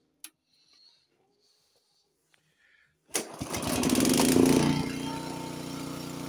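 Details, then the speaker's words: Warmed-up Honda HS80 snowblower at fast throttle, checked at the 3600 rpm spec: after a quiet start the engine catches and settles into a steady, even high-speed drone; normal fast-throttle run. "this one's at 3600 where it should be and we're going to test each one to show you uh the difference in the performance"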